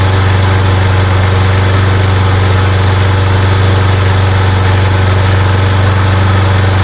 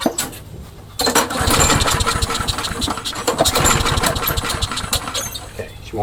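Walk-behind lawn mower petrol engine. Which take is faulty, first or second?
second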